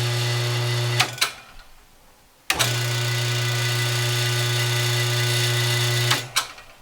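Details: Busy Bee B324 bandsaw motor after installing new 6202ZZ bearings, previously making terrible noise from cooked bearings: spins up to smooth steady hum, coasts down quietly, no rumble or grinding.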